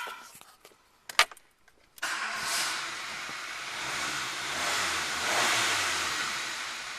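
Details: Renault Clio with a no-start fault, after the crank sensor was removed and cleaned: a couple of faint clicks, then the engine catches at once and settles into a steady, even run; normal start.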